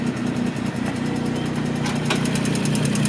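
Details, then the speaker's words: Turbocharged 1992 Suzuki Cappuccino, freshly resealed with new head gasket, at idle: light even valve ticking two or three times a second. Valves thought to need better seating; said to be common on Cappuccinos, here more pronounced. "does have a little valve ticking to you, as you hear it right now. They need to be seated a little bit better, but the hauls ass."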